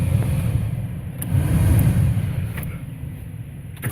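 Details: 1998 GMC K1500 4x4 heater blower motor, just replaced behind the glove compartment: fan spins up to a smooth, low, even whoosh with no squeal or rubbing; new blower running normally.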